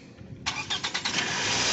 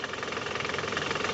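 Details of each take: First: Toyota Camry after balancer shaft replacement, carbon cleaning and throttle body cleaning: about six quick starter turns, clean catch, even fast idle above 1000 RPM (idle not reset), earlier clunking gone; possible noise from starter/flywheel area to check. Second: Toyota Camry engine before repair, in reverse (R): rough, rapid rattling drone pulsing with vibration from the balancer shaft and engine mounting area; upper mounting cracked and shaking, noise disappears in neutral. Balancer shaft and upper mount to be replaced.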